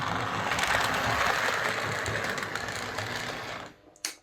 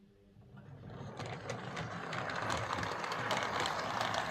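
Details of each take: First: Model locomotive on a Hornby HM2000 controller, slow pull-away: harsh motor whir and buzz with gritty grinding caused by the controller's PWM, then stops with clicks; Morley Vector controller later quieter. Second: Same model locomotive on a Morley Vector Zero Three Crawler controller instead of the PWM Hornby HM2000; it runs eight seconds with a soft, even gear whir and light clicking, noticeably quieter than before.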